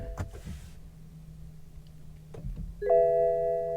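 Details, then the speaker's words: Car at a Copart salvage auction, ignition on with the door closed, car not in Park: a few clicks and quiet cabin hum, then a clear two-tone dash gong with battery discharged warnings; a dead battery is suspected. "okay I think this cars got a dead battery battery discharged start engine"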